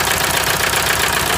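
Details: 1998 VW TDI diesel, ~500,000 miles, run on 80% waste vegetable oil; heavy uneven chuffing at the breather over rough idle. Stuck piston rings blow combustion gas into the crankcase, worsening daily; head to come off and rings replaced.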